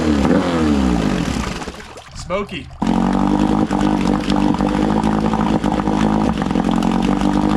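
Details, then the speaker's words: Cheap aluminum boat's outboard after carburetor check, no fuel from the overflow port: steady idle broken by occasional brief stumbles, a lean sneeze (too much air, not enough fuel), adjustable via carburetor low speed screw. "she's got a little bit of a lean sneeze you hear that little jerking it does typically reminiscent of when an engine's running too lean too much air not enough fuel"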